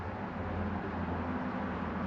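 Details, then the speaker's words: 1996 Land Rover Discovery V8, revived from non-running, low miles, with new plugs and wires, new head gaskets with ARP studs and new oil pump; quiet steady even idle rumble, no ticking or knocking. "this thing is all set to go now new plugs and wires new head gaskets"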